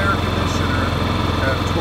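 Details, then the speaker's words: Honda EU7000is inverter generator switched to eco throttle after starting a 2-ton central air conditioner at full throttle with other loads off: steady, even drone, no surging or hunting; normal running under load. "once you get it started you put it on the eco throttle and it's running"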